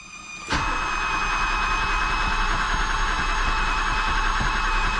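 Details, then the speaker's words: 1978 BMW E12 530i, first start attempt in 16 years after fuel pump install, tank drain, oil change and battery: even cranking at about three and a half beats a second that never catches; no fuel delivery yet. "I know I got a pump it there's no gas"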